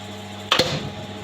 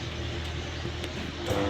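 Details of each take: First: New star-delta starter panel with MNX 110 contactors, tested without motor load after fixing a neutral fault, all three phases present: crisp double clack as contactors pull in, then quiet steady hum, switching to delta after a delay; normal star-delta starter operation. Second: New star-delta starter panel test: at start the contactors give a steady hum and fail to pull in, so the motor won't start. The contactor coils are 220 V rather than 440 V, leaving them weak on the neutral.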